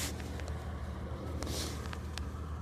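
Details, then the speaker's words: 2000 Toyota 4Runner after shimming out-of-spec valve lash to fix a cylinder 1 misfire, near operating temperature and in gear: low, steady idle with an even beat, no misfires detected, smoother than before. "No misfires detected yet. So, I'm going to go drive it, see what it does, but it's definitely smoother than it was."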